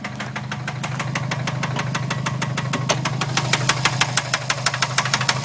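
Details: Stock 2011 Subaru STI turbo engine, no tune, about 16k miles, started knocking on the way home. At idle it gives a sharp, regular knock, about three a second, growing louder.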